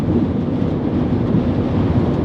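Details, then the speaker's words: Cabin noise at 80 mph on the freeway after the worn door weatherstripping was replaced with backer rod: steady low road rumble and soft wind hush, no whistle or flutter, much quieter than before; quiet cabin at highway speed. "all right so this is 80 mph normal California freeway speed and uh yeah definitely sounds better in here I can still hear some road noise but uh I will say that it is significantly quieter in here and I'm not having to scream to have this conversation with a passenger"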